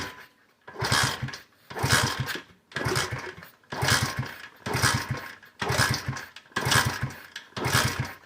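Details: KC pit bike (Pep Boys, roughly 15–20 years old) after sitting 3+ years, fuel petcock on reserve after a kickstarter repair: eight kicks at about one per second, each a brief chuff that dies without firing; cranks but no start, cause unconfirmed.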